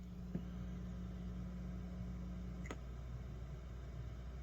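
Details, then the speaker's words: Two amplifiers in a stereo setup on one power strip, ground loop demonstrated: a click as the earth ground is lifted with a cheater plug, the mains buzz drops out, only a faint low background remains (an unsafe fix). No ground-loop hum. "so I've disconnected the Earth ground on this amplifier now there's no more ground Loop but you've now created an unsafe condition"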